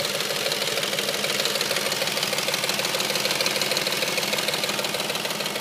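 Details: Audi S4, warm engine: a fast, very even loud tick, about three per second, over the idle. It appears only once the engine is warm; the owner asks for help finding the source.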